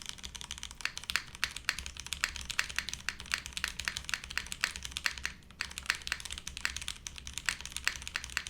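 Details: Monokei x SingaKBD Jaguar TKL, o-ring mount, TTC switches, PBT keycaps after flipping the spacebar. Quick run of crisp, even key clacks with clean solid bottom-out, no rattle or ping; poppy, higher-pitched clacky build sounds healthy.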